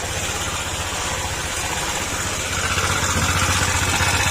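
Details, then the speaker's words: Honda ADV160 scooter at 26,119 km, CVT belt/pulley removed: quick, fairly regular light ticking, about four per second, over idle persists, suggesting top-end rattle; camshaft issue suspected, not confirmed. "Ayan, nakatanggal na, ibig sabihin wala nang connection si panggilid, pero yung ingay nandyan pa rin."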